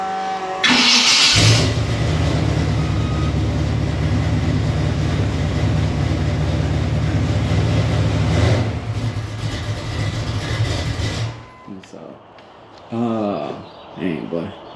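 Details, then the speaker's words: 1987 Chevrolet Monte Carlo SS small-block V8, distributor mechanical advance reconnected, set to come in around 1500 rpm: short crank, catches at once and settles into a steady, even idle with no grinding; normal start. "no problem on the start up man the sound like excellent man"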